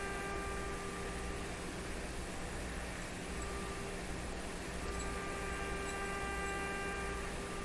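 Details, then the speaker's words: RCA Victor A38 shortwave tube radio fed a sine-wave signal generator, tuned off to a weak signal: steady tone with harsh buzzy overtones over hiss; sounds closer to normal but still distorted, cause not yet found. "it actually sounds much more like it should it looks more like it should but it's still distorted"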